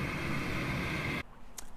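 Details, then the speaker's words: Natural gas furnace inducer motor, located at the top, switching on at the start of the heating sequence to vent combustion gases; steady, even hum with a smooth airy rush and no rattle or squeal, so normal inducer operation. "the first thing is your inducer motor is going to turn on your inducer motor is located up here and it's the motor responsible for moving all the hot combustion gases up and out your home"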